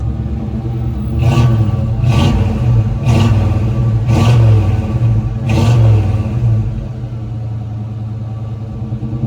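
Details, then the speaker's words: GMC Sierra Classic 2500 4x4 V8, just out of the exhaust shop with fresh Flowmaster dual exhaust, recorded on a phone: five throttle blips about a second apart, each a deep clean rumble settling back to idle; normal exhaust note, no leaks. "Just finished up at the exhaust shop. Hopefully, you can hear the tone a little bit right there. We'll try to go in here and hit the gas."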